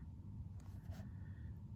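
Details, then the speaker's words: Chinese diesel heater in a camper van fitted with a quiet aftermarket fuel dosing pump, fan at lowest setting, pump placed in a cupboard: only a low steady heater rumble, no ticking from the fuel pump; pump running quietly. "i've got it set at its lowest setting so the fan's barely moving can you hear the tick tick ticking no so there you go damn thing works fantastic"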